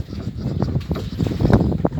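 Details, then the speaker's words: 2006 Chevrolet Corsa front wheel, engine off, ball joint levered with a screwdriver at the axle end: dull, irregular clunks with each movement; worn front ball joint, to be replaced along with worn brake pads. "Olha o barulho do pivô aí, ó. Pancada estranha no Corsa, na dianteira. Esse barulho é o pivô,"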